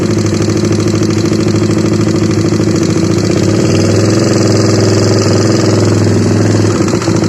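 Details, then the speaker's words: Honda CBR150 single-cylinder at idle, engine ran completely out of oil and still noisy after oil change: loud, uneven clacking from the top end with the engine beat; camshaft bearing clack. "Ya oke, jelas ya suaranya seperti itu. Jadi ini awal mulanya itu kehabisan oli ya. Olinya sampai kosong blong. Jadi akhirnya suaranya jadi seperti ini ya."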